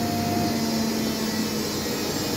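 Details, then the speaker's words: Whirlpool washing machine in service test mode on spin: steady high squeal over the spin whir from newly replaced motor brushes still bedding in; normal after brush replacement, to be seated further to remove it. "Слышен такой писк. Данный писк вызван щетками на двигателе. Они были заменены, новые."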